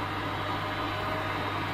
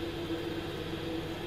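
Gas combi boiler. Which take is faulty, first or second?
second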